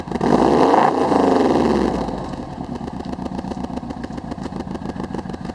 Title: Misfiring WRX